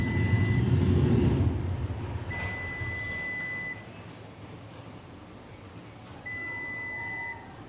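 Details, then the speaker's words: HP Scanjet 3000 s3 with a black-scanning fault, digital multimeter in auto continuity mode on the CCD cable pins: three clean, steady high beeps of about a second each; continuity present, cable OK, so the CCD lamp is faulty. "सुनो, अगर cable ठीक है तो तुम्हें beep की आवाज सुनाई देगी। देखो, बीप की आवाज़ आ रही है।"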